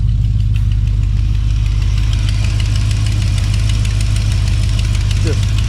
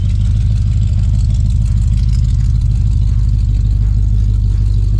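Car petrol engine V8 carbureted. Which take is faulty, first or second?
first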